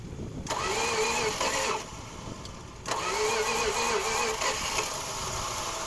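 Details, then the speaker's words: 1969 Plymouth Fury III, 318 V8 automatic, off the road for over ten years, with bad points just worked on: the engine catches, revs unevenly, sags almost to nothing, then runs rough. Starts but will not stay running. "I don't even know why I'm even trying to get her to stay on"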